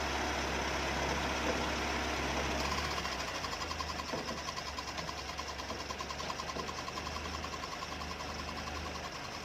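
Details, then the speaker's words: Car AC compressor magnetic clutch, engine running: fast steady rubbing tick about three per second with a thin scraping tone; a damaged pulley bearing tilts the pulley so it rubs the drive plate, generating heat. "you can hear clearly the friction sound between the pulley and the drive plate a damaged bearing will cause the pulley to rotate tilted from its original state the pulley will rotate and rub against the compressor drive plate and the friction will generate heat"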